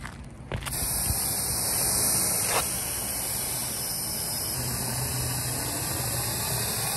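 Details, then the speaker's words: Kitchen drain vent pipe being cleared, water sent down from the roof: water rushes down, then the sound turns to a steady hollow gurgle as the pipe fills and backs up; vent still partly blocked. "you hear that noise you heard that noise is it right it means it's filling up really yes changes yeah it did change okay so we're not done"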